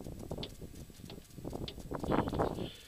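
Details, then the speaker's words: Suzuki SX4 in park, drivetrain rocked via the shifter: irregular loose knocks and clunks from a worn inner CV joint on the axle, suspected cause of high-speed wobble and clunks over bumps. "yeah it makes that clunk sound and I'm not pushing it to either ends of the limits of the shifter"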